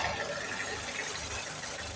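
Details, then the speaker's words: Dacia Logan MCV 1.6 16v 105hp petrol, just started, heard with bonnet raised: soft, even hiss-like hum, no knocks, ticks or surges; quite quiet, barely noticeable from inside; normal healthy idle. "Destul de silențios. Din interior nici nu se simte că este pornit, mai ales dacă închizi capota și ușa. Ai avea impresia că este oprită."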